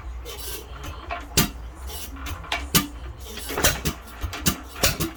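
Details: Hit-and-miss engine, believed a 1 1/2 hp Hercules with ball governor, first start in many years, still fuel issues; sharp firing bangs come quickly and unevenly with few coasting gaps, racing fast before governor cleaning and new spring.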